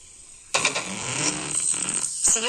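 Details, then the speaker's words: Shivay 11 Bluetooth speaker: after power-on, playback sounds harsh, crackly, thin and buzzy, with a brief dropout midway. Sound is distorted and cuts in and out; whether the speaker or the amplifier board is at fault is still being checked. "ये जो मेरा है Bluetooth जो मैंने speaker है इसको on करने के बाद इसका आवाज फैट रहा है"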